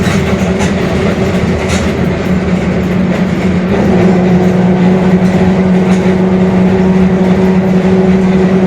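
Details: Mercedes-Benz OF-1721 Bluetec 5 extended urban bus, Mascarello GranVia Midi 2014 body, built 2021, underway: a steady low droning hum under the road noise that lifts slightly in pitch as speed rises, from a growling differential.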